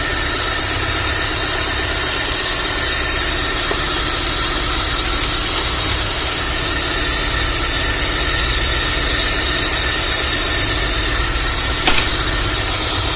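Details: Freshly assembled Honda Civic Genio engine idling during air-fuel ratio adjustment: even steady idle with smooth low hum and a light mechanical whir, no misses or knocks; sounds healthy.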